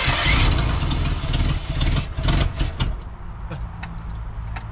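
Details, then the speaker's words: 1987 Ford F150 being converted from EFI to carburetor and HEI distributor: heavy uneven cranking with a few rough pulses that never catch, then fades; owner suspects carburetor is delivering no fuel. "I don't think it's putting any fuel in it at all"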